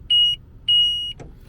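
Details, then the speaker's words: 2021 Ford Transit 250 High Roof AWD, ignition on: moving the swivel seat unlock handle triggers two steady high beeps over quiet cabin; seat unlocking-mechanism sensor warning alarm. "as soon as you move the handle there you go it triggers the alarm"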